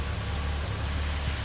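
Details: Series 1 Jaguar E-Type straight-six after complete ignition system overhaul, timing light confirming timing bang on: smooth, even low idle with steady beat and no misses, knocks or ticks; normal healthy idle.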